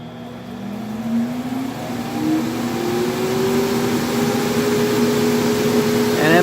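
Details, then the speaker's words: Stock exhaust blower of a 60 W CO2 laser cutter, run at full strength through a dimmer speed control: fan whine climbs in pitch as it spins up, then holds loud and steady; noisy but normal blower. "so what we do is I'm going to go full strength first and you'll hear how noisy this"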